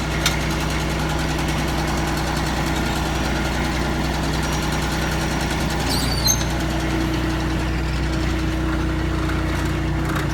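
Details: Kubota ZD326 zero-turn mower after deck belt replacement, center pulley and gearbox rework, engine idling before engaging blades: steady, even low drone with no knocks, misses or speed swings; healthy.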